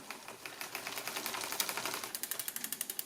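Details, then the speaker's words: Lapierre Pro Alu SL mountain bike after new 9-speed cassette, chainrings, derailleur cable and housing fitted and adjusted: gears shifted upward, light even chain and freewheel ticking, no grinding, chain climbs onto biggest sprocket cleanly; normal rear derailleur shifting. "Là, je change les vitesses. Voilà. Je monte encore. On monte. Je continue."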